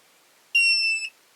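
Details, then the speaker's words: Lyman Gen 6 powder dispenser startup beep after the buzzer was covered with damping material: one steady, shrill half-second beep, somewhat quieter than before and slightly off pitch. "It's a bit quieter. Sounds a little bit off pitch now, but uh it's a bit quieter."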